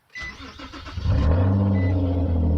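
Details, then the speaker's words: Car with a head gasket leak, engine cold, after Blue Devil Head Gasket Sealer was poured into the radiator with the heater on max: brief cranking, then it catches within about a second into a firm, even idle. "Nice strong start."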